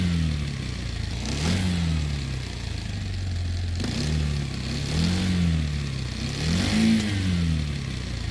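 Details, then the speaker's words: Motorcycle engine blipped repeatedly, with gear rattle as revs fall after each blip, mainly on deceleration. This is balancer idler gear backlash noise, caused by excessive clearance between the two gear teeth. "this is called assembly balancer idler gear noise the noise is prominently heard on the engine on deceleration this noise is also called engine backlash noise and it is caused because of the excessive clearance caused between the two gear teeth"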